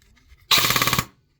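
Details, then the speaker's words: Airsoft M4 AEG with T238 ETU V1.42 electronic trigger: on semi, a single pull fires a rapid burst of about nine shots, with a beep marking a mode change; the tappet plate presses the full-auto micro switch, so the plate needs trimming. "What happens is when I put it on semi, it shoots full auto. And if you listen carefully, hear that beep? That beep is an indication that it's switching to a different fire mode."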